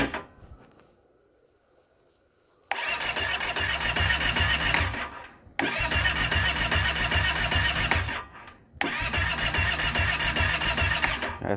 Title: 2012 Kawasaki Brute 650i no start.